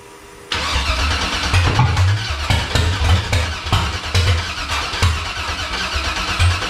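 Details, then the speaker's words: Factory Five 35 Hot Rod Truck, second first-start attempt after sitting dry for a long while; the starter cranks with a steady rhythmic chug for about six seconds but never catches. Fuel pressure holds in the high 50s, and a fuel system issue is then found. "gentlemen [Music] i wanted to catch but it's not"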